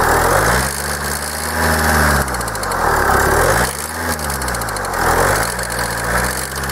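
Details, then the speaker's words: Kia 2.0 CRDi Bosch common-rail diesel warmed to operating temperature, hood open, idling and revved: harsh clatter/knocking rising and falling with revs; injectors suspected but cause turned out to be something else. "Ponieważ sobie powstał chwilkę z otwartą maską także idę być może już udało się złapać tą temperaturę i chcę zademonstrować i pokazać jak wygląda właśnie to stukanie"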